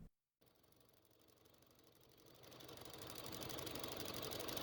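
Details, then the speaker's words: 2005 Honda Civic 1.7L at idle: a crisp, even tapping of about four per second, lighter than valvetrain noise, felt at the evap purge valve; the sound stops when the valve is disconnected, confirming a faulty purge valve. "it actually sounds like it could be coming from this valve and yes sure enough if i take my finger on the first valve i could actually feel the same tapping sound"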